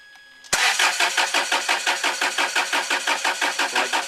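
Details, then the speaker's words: Land Rover Freelander 2 2.2 diesel after a fuel filter change and running out of diesel: the starter turns the engine steadily at about three compressions a second, but it never catches; air in the injectors, not self-bleeding. "we tried to start it and what we've done is suck air into the injectors"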